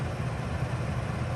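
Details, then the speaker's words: Coleman Mach 3 NDQ roof air conditioner in a Winnebago Travato 59GL van, switched to fan only with the compressor off: an even, steady low blower hum with no rattles, squeals or cycling. Normal fan-only operation, about as loud as a Truma Aventa with its compressor running. "And that's fan only. That's about what it sounded like with the Truma with the compressor on."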